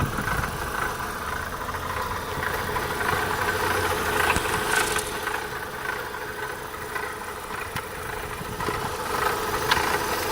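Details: Opel Astra 1.6 16V (X16XEL) petrol engine idling with a busy, uneven metallic rattle riding over its steady hum.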